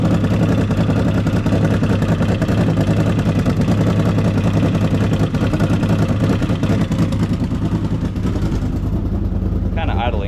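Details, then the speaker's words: CFMOTO Z-Force 800 side-by-side first start after fixing a loose starter cable lead: loud, uneven idle with ragged puffing beat and slight stumbles; possible exhaust leak, roughness expected. "a little rough, but that's to be expected."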